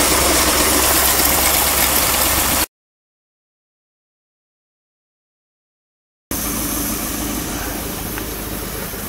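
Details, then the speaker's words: 1959 Mercury Monterey, started after sitting a decade, running well with no smoke: a steady idle with a sharp, regular puffing tick about three a second over the engine drone, a small squeak from an exhaust leak; the exhaust needs a hanger. "you hear that little squeak from the exhaust most of this noise you hear is from this exhaust"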